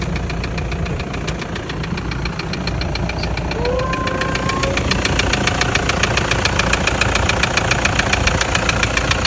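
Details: Toyota Land Cruiser Prado 120 1KD-FTV turbodiesel, 366,000 km, at idle: sharp regular knock three to four per second, began after a mountain-pass climb towing a trailer with rising temperature; injectors bench-tested fine, endoscopy showed scoring in cylinder 3.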